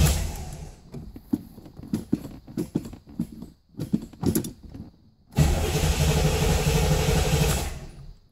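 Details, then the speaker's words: 1987 Chevrolet Corvette C4 that sat 25 years, new battery fitted, security light off: the starter churns the engine over steadily but it never fires. Crank-no-start. "issue when the security light was off and I was able to crank the engine. But it won't fire."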